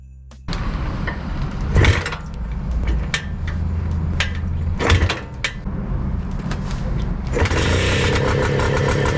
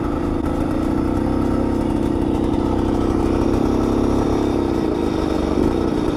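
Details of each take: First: Bultaco Alpina 350 two-stroke with a new carb and new aluminium tank, starting after a new condenser replaced one suspected of causing weak spark and a no-start. It catches, pops a few times and settles into a steady buzz, firing properly. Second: Bultaco Alpina 350 single-cylinder two-stroke on its first road test ride after restoration, faint rapping knock under the exhaust note; rider suspects a low-grade spark plug and considers a higher grade, cause unconfirmed.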